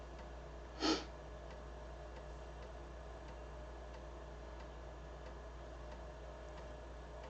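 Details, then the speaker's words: BBC Micro floppy drive after cleaning its heads: steady hum with light head-step ticks and clicking, reading much better, with slight hesitation; dirty heads suspected as earlier fault. "probably hear it clicking away. Yeah, that's much better."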